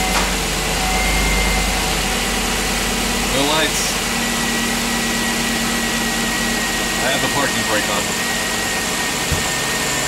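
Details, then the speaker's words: 2007 Chevy Tahoe 5.3L V8, first start after engine replacement; catches and settles into a steady, even idle with no knocks or ticks, no leaks, no check engine light; normal idle. "But there sounds like a new engine. Awesome. No leaks. No check engine lights."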